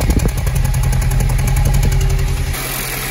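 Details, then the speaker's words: VW Jetta with about a quart too much oil and stored misfire and oil-pressure codes has a rough, shaking idle with uneven thumps and exhaust popping; a dead cylinder misfiring, traced to a cracked spark plug. "It's definitely got a horrible misfire. It's shaking. The engine's shaking. You can hear it popping."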